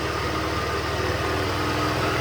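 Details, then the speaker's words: Salvage auction car rebuild: engine's first start after two dead batteries, a jump box and a charger. It settles into a steady, even cold idle with a smooth low pulse and no knocks or misses; sounds good. "it run, let it run. There you go. Hey, sounds good."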